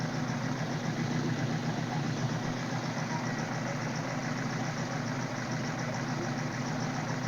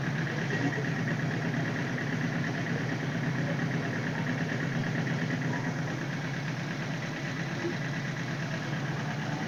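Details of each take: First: 1978 Suzuki GS1000C after carb cleaning, choke on: uneven lumpy idle with one backfire and missing cylinder; debris stuck in #2 carb float needle kept it open, flooding #2 and dumping fuel from the overflow hose. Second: 1978 Suzuki GS1000C four with a rebuilt top end, after carb cleaning and replacing the #2 float needle valve that had stuck and flooded. New fuel filter, fresh gas; steady, even, smooth idle with no misses or fuel leaks.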